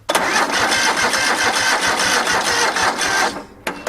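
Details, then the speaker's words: A second, usually poor battery tried on a small jump pack: the starter drags the engine over slowly, about four labored turns a second, then quits without firing; the battery is too weak. "This one's usually kind of a crappy battery, but let's see if it'll do anything."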